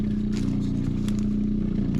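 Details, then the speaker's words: Water filtration station pump with its first reservoir empty gives a steady low hum with light rattle and no load change, running dry until switched to the second reservoir and primed. "de battre à vide tourner à vide là je ferme le premier réservoir et j'ouvre le deuxième et là je vais laisser couler un petit peu pour amorcer la pompe"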